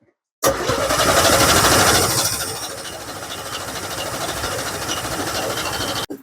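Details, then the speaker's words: 1963/64 Chevrolet C10 step-side, coil removed to prime fuel: long, even cranking at about three turns a second with no firing, drawing fuel up from an empty tank and line; crank no start, fuel system not yet primed. "all right little change cuz it still has to suck its way all the way from here all the way from that tank cuz well there was nothing there"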